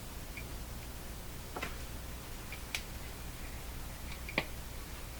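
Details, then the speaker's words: Emerson 34C tombstone tube radio with a tube pulled: quiet, irregular sharp pops over a low hum; popping persists, implicating the power supply, possibly the rectifier tube (6V6 output tube fitted instead of 6F6). "still hear the popping so what that implicates I'm going to turn the radio off for a moment that implicates the power supply"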